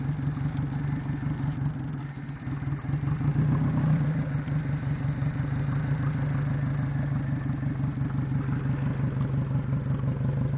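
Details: Yamaha 90 outboard with 1400 hours at idle: steady low drone with an uneven clatter riding on it; it is running rough because the injectors are dirty.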